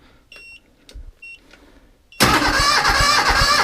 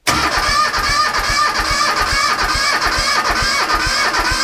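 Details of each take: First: 1978 Bolens diesel tractor, cold start on a KeenPower supercapacitor jump starter alone: after a few beeps the starter spins briskly and evenly, about three and a half turns a second. Much faster than on the weak battery; healthy cranking. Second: 1978 Bolens diesel tractor, cold, cranked by a KeenPower supercapacitor jump starter without using the glow plugs: brisk even cranking at about three beats a second for six seconds, no firing; it needs its glow plugs.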